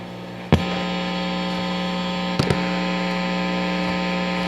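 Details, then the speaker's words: Fender Bassbreaker 15 tube guitar amp switched to medium gain structure: steady low buzz with higher whine on top jumps louder after the switch; loud amp hum and noise. "Man, that's Noise City. Sad."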